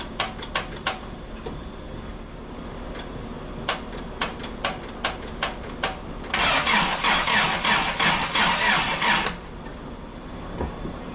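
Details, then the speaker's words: 1986 Toyota pickup, first start in 5 years after cleaning and refitting intake: cranking clicks, engine catches and runs raggedly about three seconds then dies; owner suspects fuel filter, no fuel getting through. "It died, but it ran. It ran. All right, so as you guys saw, the truck did crank."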